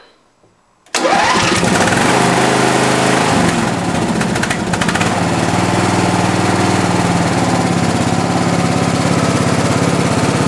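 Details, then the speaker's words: Craftsman lawn tractor, first cold start of the season on choke, which may be using oil (valve cover gasket leak suspected): catches within a second, then a steady, even single-cylinder chug with no misses or knocks. Normal cold start. "beautiful sounds good all right let's go for a little test drive"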